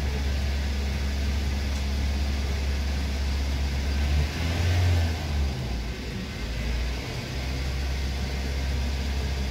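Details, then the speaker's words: 2009 Toyota Yaris whose oil warning light flickers when driven hard, heard from inside the car at a steady 2000 rpm before the oil change and flush: a coarse, uneven, roaring drone with no clean note, so the engine runs rough. "i di sini suara mesinnya itu tidak agak kasar ya terus ada Meraung engine begitulah"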